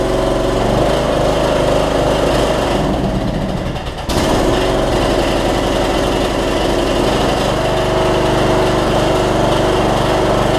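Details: Troy-Bilt Bronco MTD riding mower after transaxle fix (broken spring replaced), deck bracket welded, blades changed: single-cylinder engine runs evenly with brief dip as it pulls away, then settles; runs and drives normally.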